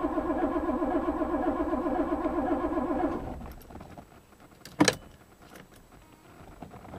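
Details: 1982 Porsche 928 S no-start: starter churns the engine at a steady rhythm for about three seconds, then stops; it never fires or catches.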